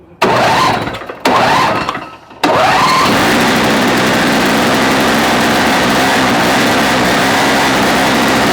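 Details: Toro two-stroke snow-thrower, filter screen purged, choke on, electric start: two short cranks, then catches and holds a steady even buzz without missing; runs fine.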